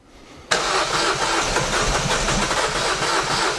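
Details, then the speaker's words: Diesel engine cranked after reassembly to build oil pressure: uneven chugging crank around 220 beats a minute without catching, because the fuel primer bulb was deliberately not pumped. "tu as fait quoi pour pas qu'ils démarrent mais j'ai juste pas pompé sur la poire"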